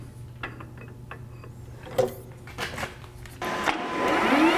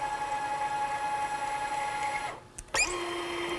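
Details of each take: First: Manual lathe parting off washers in a 300-part production run: after a few clanks the spindle spins to a steady ringing whine with rough buzz; parting tool chatters near the end because stick-out is too far. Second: Manual tapping with a tapping head, Molly D lubricant, light downward pressure at start: thin steady squeal through the cut, dropping lower as the tap reverses; normal cutting, and the head no longer clutches out.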